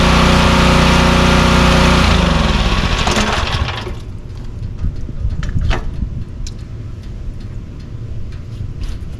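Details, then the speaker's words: Pressure washer with a 4-stroke lawnmower-style engine, after carburetor repair, hooked to water and spraying: the engine pulls down steadily as the pump loads, then settles to an even idle with light clicks as the unloader releases pressure. Normal running under load. "It seems to be spraying well. The engine's picking up the load like it should, and the unloader is releasing the pressure when we let go of the handle."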